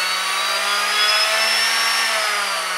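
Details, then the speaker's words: HobbyWing ESC with AR7200BX (BeastX) after correct throttle calibration, bench test: clean, steady electric whine that climbs and holds with no stutter or lag; motor grabs instantly on throttle-up, normal spool-up. "so you can tell that everything works because the motor now grabs instantly as soon as I start to throttle up"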